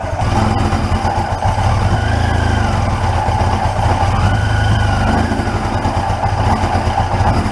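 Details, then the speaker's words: 1981 Yamaha XJ750 Seca inline-four, first run in a long time after brake and carb work and clearing a nest from the tailpipes: loud idle with slight unevenness and wavering revs, stumbling as if starving for fuel, then keeps running. "come on baby oh we're running out of fuel"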